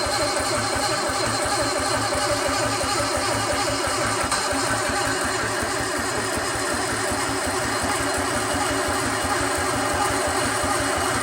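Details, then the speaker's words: Sunbeam Alpine 1725 engine, on starting fluid, throttle propped open: long steady starter cranking, about 86 beats a minute, never catches; no spark because the distributor wasn't being driven; starter relay then stuck closed. "That's right, distributor is not spinning because it popped up. It's as simple as that."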